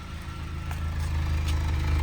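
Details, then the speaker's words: Honda Fit (GD3), 120 on dash, no check engine lights, before valve adjustment, heard at exhaust at idle: deep uneven chuff with skipped puffs, obvious misfire; rod knock feared but not heard on acceleration or shutoff; cause unconfirmed. "you can hear an obvious misfire."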